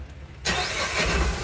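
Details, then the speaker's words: Tata Ace Gold BS6 diesel small commercial pickup, which before the repair would not crank or self-start: now cranks briefly, catches at once and settles into a steady, even diesel idle with no misses or knocks; the starting problem is solved. "य गाड़ी start नहीं हो रही थी अभी starting problem solve who इसका start"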